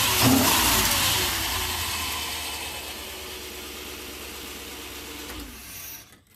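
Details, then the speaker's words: Old short bus, sat roughly ten years, started on better used battery, serpentine belt off; engine catches, revs hard, eases to steady smooth run without misses or knocks before shutoff: normal running after start. "So, this thing works."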